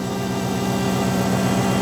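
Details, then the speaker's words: Used V8 Hemi heard during a purchase inspection: deep, steady rumble with even firing and no knocks, ticks or whine. Normal running, sounds healthy. "so far it sounds good man sounding good so far yeah sounds good sounds really good actually not bad at all nah this thing sounds great"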